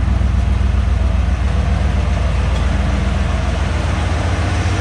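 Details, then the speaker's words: 1988 Ford F150 after fuel pump replacement: steady, even low idle rumble with a smooth firing beat and no knocks or misses, with good oil pressure and no smoke; healthy idle. "Sounds good. Runs good. It's got good oil pressure. So it's alive."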